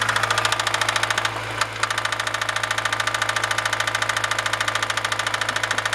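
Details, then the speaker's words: Honda B16A engine knock at idle, persisting after clutch released and shifted to neutral: sharp, even ticking knock about three and a half per second over steady idle; source not pinned down. "Опускаю нейтральную передачу. Стук продолжается."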